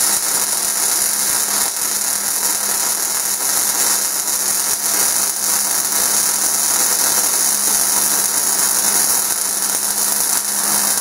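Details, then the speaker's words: MIG welding at the correct, recommended wire feed speed: steady, even crackle like frying bacon, cutting off cleanly, unlike the sound of too-fast or too-slow wire feed. "this is going to be the recommended travel speed for the wire now be listening to the difference between what we started out with too fast and then what it sounds like too slow and what it's gonna sound like now and it should sound like frying bacon is what it's often described as"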